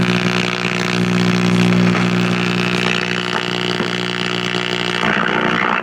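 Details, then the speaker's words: 1950s AA5 tube clock radio with Telechron clock, antenna wire disconnected; loud, steady low hum with a buzzy edge and no station audio; mains hum from bad filter capacitors, volume control possibly bad too. "Clearly have bad filter capacitors, so let's get the chassis out and see what's happening."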